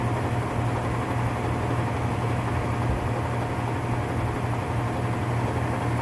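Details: Whirlpool top-load washer (model 110…) with a grinding noise when the motor runs, run in manual test at high spin: steady low hum under a rough, gritty rushing noise; worn gearcase, gear assembly needs replacing.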